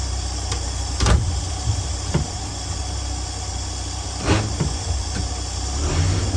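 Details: 1965 Dream 21 van, first start after repairing a wiring short and replacing the horn relay, after a dead battery: low, steady idle rumble with a few light knocks from around the van; runs evenly with no leaks.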